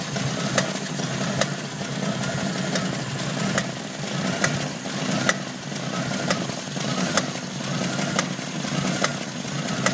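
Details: Jeep CJ7 petrol engine at idle: a sharp, regular knock a little over once per second cuts through a steady idle.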